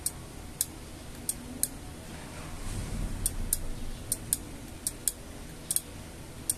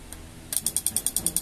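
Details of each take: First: LG microwave after control board repair, door opened and closed: clean single sharp ticks, often in pairs, as the relay switches normally; before the fix, low voltage made it tick rapidly and the interior light flickered. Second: LG microwave whose display blinks when the door opens: with the door-switch jumper pins disconnected, the control-board relay chatters, an even tick-tick at about ten per second from low supply voltage; a swollen capacitor is visible on the board.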